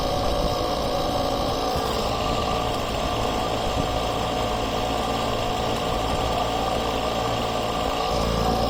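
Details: Husqvarna small engine after replacing crumbled fuel lines: constant, smooth buzz at a fixed speed throughout with no stumbling, surging or dropouts; healthy.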